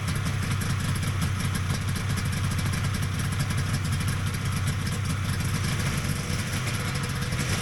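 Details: Vintage Polaris XLT triple two-stroke snowmobile at steady fast idle after its pump was reassembled with an upside-down plate corrected; even burble, dense low drone, no misses or rattles; sounds healthy.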